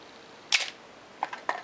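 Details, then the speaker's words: Canon AE-1 Program 35mm SLR with 50mm FD f/1.8 lens, untouched as found, fired at slow speeds (1/4 s to 2 s): crisp shutter snaps and lighter mechanical clicks, no drag or hesitation, lens stopping down properly; normal shutter operation. "If we set this down on the slower speeds, 1/4 of a second, 1/2 of a second, 1 second, and 2 seconds, and if you watch in there you'll see the lens stopping down properly,"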